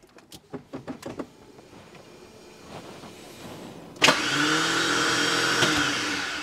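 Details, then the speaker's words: Porsche 986 Boxster with a V8 engine swap: a few clicks, then the starter whirs freely with no cranking, spinning without engaging the flywheel. Starter position and alignment are suspected; the owner plans to pull it and check the flywheel by hand. "it sounds like the starter is spinning and just spinning and not actually engaging but it should work should work i'm at a total loss"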